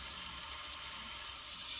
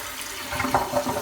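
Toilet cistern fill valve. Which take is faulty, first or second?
first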